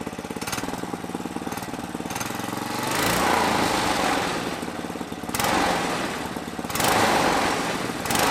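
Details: Small single-cylinder air-cooled go-kart engine with an aftermarket carburetor, belt removed to rev freely, kill wire disconnected: fires quickly, then revs up and down in bursts with a crisp steady beat; runs healthy, no misses.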